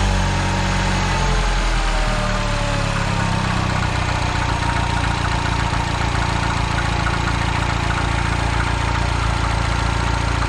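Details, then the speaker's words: Citroen DS3 after replacing a blown turbocharger (had power loss and heavy smoke); loud steady idle with an uneven low thump about three times a second underneath, clunking from below, source unclear. "Something is clunking down there, right"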